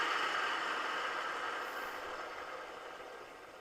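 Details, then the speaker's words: Polaris Sportsman 500 cooling fan, previously not kicking on with engine overheating, running with key on after installing a breaker and jumpering the radiator temperature switch: steady airy whoosh, no rattle, scrape or ticking. Fan working normally. "so now when I turn the key on we should hear the fan kicking on"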